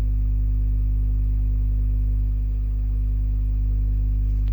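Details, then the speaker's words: DIY 12-inch speaker on a 12V DC amplifier with the volume pot opened up: a steady deep low tone with no crackle or rasp, so the output is clean and not yet distorting. "Suaranya masih mulus ya. Potensio volume udah saya buka."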